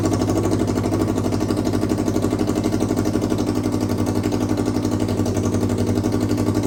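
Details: Kawasaki KRX 1000 after engine rebuild, first test fire with no muffler, low battery voltage but good compression: loud, open, even idle with steady pulses about four per second, no knocks or misses; runs cleanly.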